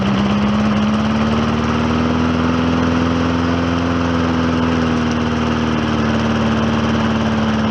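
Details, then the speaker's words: Old Hyper Tough lawnmower after cleanup and new rear wheels, run with diesel oil: a steady, even engine drone with a slight pitch wander as it settles after brief choking, then a smooth run; repair called successful. "it's kind of choking itself a little bit but notice how it got leveled out and uh I'm gonna call that a successful repair"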